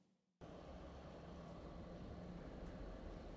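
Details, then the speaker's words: Godox SL-60W LED light, supposedly newer quieter version bought from reputable seller; stock cooling fan gives a constant loud whooshing drone with faint hum, too noisy, before replacement with Noctua NF-A8 ULN fan. "we're also told that there's a newer version which doesn't make as much noise and that if you buy from a reputable seller you'll likely get the newer version i did all of those things and still i ended up with the noisy godox have a listen"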